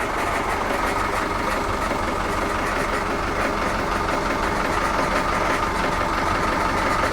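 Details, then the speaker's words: Volvo Penta KAD32 marine diesel in a 2001 Sealine S28, just started after impeller, primary fuel filter and oil filter change with filters not fully primed: steady even clatter, no leaks seen, normal diesel idle. "It's fired up. I'm not seeing water flooding out of there. I'm not seeing oil gushing out of there."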